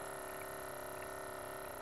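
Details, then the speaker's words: Solar-powered stock-tank water bubbler air pump running at about 16°F in freezing weather: steady buzzing hum with coarse, rattly edge, no speed change; still has plenty of power but the motor sounds rough. "Still sounds like it has plenty of juice, but the motor's not sounding that great. So I want to make note of that."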